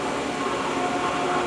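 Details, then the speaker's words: Pool circulation pump motor after replacing the bad start capacitor (it had hummed, not started, tripped breaker): runs with steady even whir and faint constant tone, no hum-and-stall. "she goes so in about five minutes and for about a thirty forty dollar part now we got the pump going without replacing the motor"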